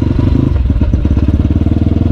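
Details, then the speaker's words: Big-bore (BRT) CRF motorcycle on a test ride, releasing the clutch where it used to hum, after replacing worn primary and secondary clutch gears: steady, even firing pulses as the clutch takes up, no hum or grind; engagement healthy. "pastiin dulu di buaterekam suaranya gak ada suara-suara dengung tu aman"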